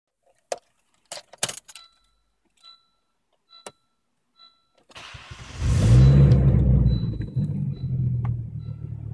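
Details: Volvo V70 T5 starts after key rattle and dash chime and idles with a rough, chuffing exhaust rumble from an exhaust leak, welded about a year ago but now badly reopened.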